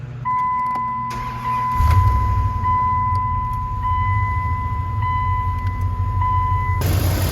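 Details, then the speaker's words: 2nd-gen Dodge after replacing the PCV valve: engine cranks, catches and settles into a smooth steady idle under a constant chime, the earlier noise now gone with no hiss or whistle. "you can hear that noise is now gone so that's how to replace the pcv valve on most vehicles"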